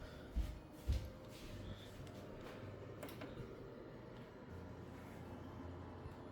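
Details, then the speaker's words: Server with Gigabyte Z690 Gaming X and Corsair TX650M PSU on AliExpress modular cables; two thumps then steady low hum and fan rush, hard drives spinning up; powers on normally, though the issue later returned. "So, it powers on like usual and we're going to hear the hard drives are spinning up."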